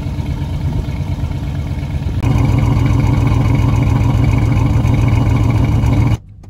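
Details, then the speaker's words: GM V8 idling roughly with an irregular, lumpy, sputtering exhaust beat and stumbles, check engine light on, strong exhaust odor; P0300 random misfire code, spark plugs to be replaced. "ignore the clicking in the background but you can see the vibration the check engine light is obviously on and I'm hoping it came through clearly in the video what I was experiencing here in person but the engine was running rough"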